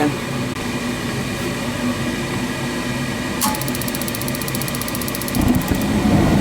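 Even steady fan hum with a brief run of fast ticking midway, no scraping or rattle; the furnace blower is running normally.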